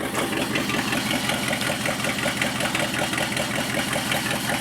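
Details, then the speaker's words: Worn 1976 AMC Jeep Cherokee Chief with AMC 401 V8, muffler refitted, about 20 psi oil pressure: steady, deep idle burble with an even pulse, no smoke and no lifter tick heard. Normal idle. "but um she runs and she sounds pretty good"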